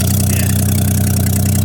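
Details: 1982 AMC Concord after forklift lift from impound: loud raw low idle with steady blatting pulse; front exhaust pipe torn loose from rotted hanger, exhaust leaking.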